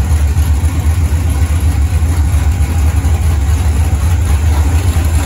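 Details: Freshly built 5.3 LS V8 with open headers and a 90 mm throttle body, after the TPS was clocked by grinding the timing tab to get the correct voltage: a deep, even idle with no miss. It starts snappy and revs well, with a slight stumble returning to idle that should be tunable via the IAC.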